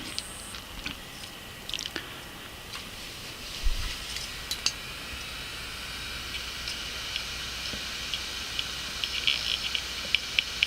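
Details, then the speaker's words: Clicking Western Digital hard drive after head map changed to use only head two and soft reset: a few soft ticks over a faint high hiss, then quiet steady spin with light seek clicks; calibrated and idling normally. "okay so as you can hear our drive just performed a calibration and right now it stays idling and it's spinning"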